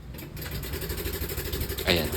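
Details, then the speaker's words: Yamaha NMAX version 2 scooter at start-up, brought in by van unridden: loud, steady harsh metallic clatter like metal slapping. "sobrang ingay mga bossing. Parang bakal na nagsasampalan at naghahampasan."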